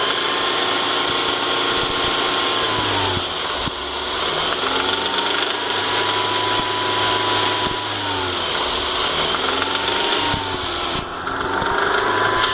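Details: BMW E46 318i with M43 1.9L petrol four, idling and revving: light, uneven knock over the engine note that persists despite new timing chain, guides, tensioners and hydraulic lifters; source unknown.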